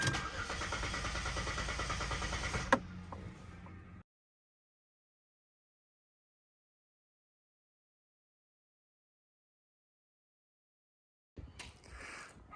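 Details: 2006–2010 Hyundai Sonata NF cranking: starter churns at an even beat for almost three seconds with no firing, then quits; no start from a failed fuel pump.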